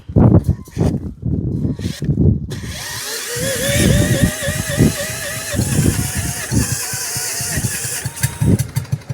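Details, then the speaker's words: Stuart generator engine, no control boxes, fuel system or cooling water rigged, nearly fires on cranking with uneven turning-over and sputtering pops but won't start; petrol running from exhaust, owner suspects flooded carb still full of petrol. "Do you know I We were so close. I think carp are still full of petrol, so we aren't going to get no more in there."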